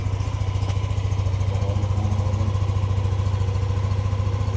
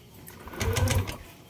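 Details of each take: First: Yamaha Aerox 155 v1 keyless scooter idling steadily with an even low putter of about two pulses a second and no misses, after a no-start with error 12 (CKP sensor problem) was repaired; the error 12 still shows on the display. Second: Yamaha Aerox 155 v1 Keyless scooter showing error 12, CKP sensor problem: brief starter cranking, the engine spinning over without catching; rat-chewed wiring found but not the cause.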